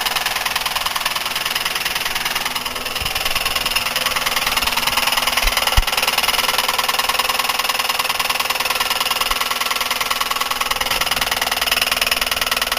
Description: Buick 3800 with rod knock. The problem is on the rod end with the wrist pin and piston.